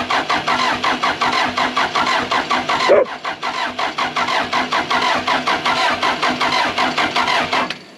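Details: Case 450B bulldozer diesel, fuel flowing to pump but pump not yet bled: starter turns it over in a steady even rhythm about eight seconds, never catches. Air in injector lines suspected, not confirmed; cranks, no start.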